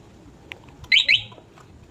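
Two quick high-pitched chirps about a quarter second apart over a quiet background: the alarm confirming unlock, working normally.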